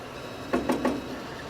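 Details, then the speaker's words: Solidoodle Workbench 3D printer printing PLA at 200°C with a Y-axis fault: three quick sharp pops about a sixth of a second apart over a quiet hum each time the bed travels back. Belt shows no slip or missing teeth; cause unknown. "there we're hearing that popping every time it goes back"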